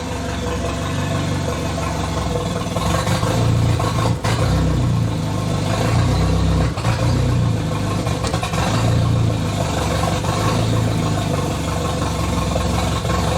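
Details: Idle on the "!200" engine with exhaust cut free: beat stumbles and sags every couple of seconds, then recovers, as if fuel-starved, yet fuel pressure reads about 38 psi at idle. Owner doubts a bad sensor; cause unresolved.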